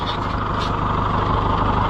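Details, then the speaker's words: Ferguson 30 tractor after new governor fitted and adjusted, no leaks: smooth even idle purring along with no hunting or surging; runs healthy, governor repair a success. "what a little sweetheart listen to it just Purl on and look at it not dripping anything"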